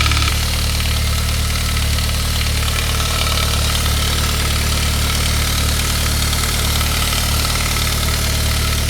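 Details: 1999 Saab 9-3 2.0/2.3 turbo, 110,000 miles, after head gasket job, cold idle with a light fast rattle gone after a couple of minutes: hardened, shrunken valve-cover-mounted upper timing chain guide; replacing it fixed it, chains fine.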